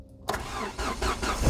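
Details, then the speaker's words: Ford Escort Mk6 after a new exhaust and ball joint, in neutral: the engine catches almost instantly on cranking and settles into a steady, even run; a healthy quick start. "That's just started right up. I'm not going to turn it off again immediately cuz uh that's not very nice for engines."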